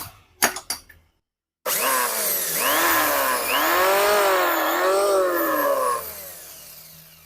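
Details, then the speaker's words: Richu electric planer, rerun with vibration gone, but a loud, harsh whine swoops up and down in pitch as the motor runs; a worn bearing loose and spinning in its housing. "tidak memang ini sudah tidak bergetar tapi ada suara yang sangat keras sekali kalau saya lihat laker yang ada di sini atau Biring yang ada di sini itu juga ikut berputar pada"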